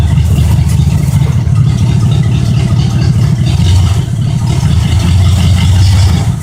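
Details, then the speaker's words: 1972 Oldsmobile 98 with a 455 big-block V8, cold start and idle: deep, steady rumble with even firing; a knock-like sound is only a vibrating part, and the engine runs well. "all right guys this sounds like it's knocking but it's just this thing right here sinks vibrating but this thing runs really really good"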